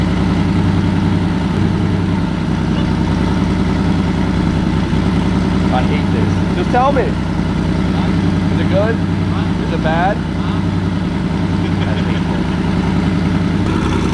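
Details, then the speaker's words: Porsche 964 flat-six at its first start-up after a rebuild: deep, steady idle with no misses or knocks; engine sounds good, exhaust too loud. "the engine sounds good too like everything sounds good then the exhaust is just too loud that's so good"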